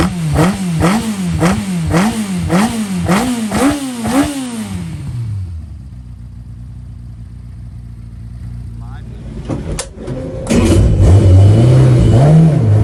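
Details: 1120cc prototype engine with 35mm big-end pins, light small motorcycle pistons and rods, clutch slipping; quick sharp blips about two a second, revs snapping up and dropping cleanly before a steady idle, a lively, healthy free-revving engine.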